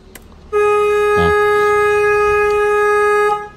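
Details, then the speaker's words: Peugeot 206, 2002, TU3JP engine, horn triggered through a BSI actuator test with a PPS scanner, while the AC compressor gave no click (BSI judged faulty); clean, steady single-pitch blast nearly three seconds long; normal horn operation. "Yang ada suaranya deh. Klakson. Kita cari klakson. Mana klakson? Horn, kita pencet."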